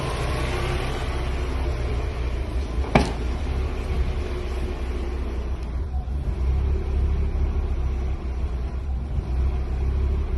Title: 1993 Miata very rough idle after cleaning throttle body